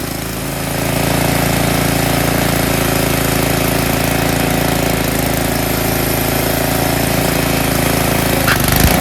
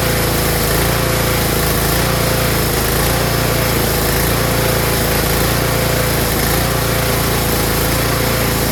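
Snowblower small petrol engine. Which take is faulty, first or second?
second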